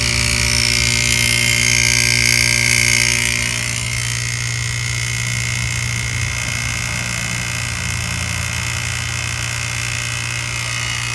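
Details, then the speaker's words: HVAC compressor running on a morning around 60°F, before replacement with an R407C retrofit: a steady hum with a faint quick internal rattle, sounding weak. It pumps only slightly (about an 8° suction/discharge difference) and at times stops pumping entirely, indicating internal failure. "Something gives way in it and it'll quit pumping altogether. Of course, you can kind of hear the rattle."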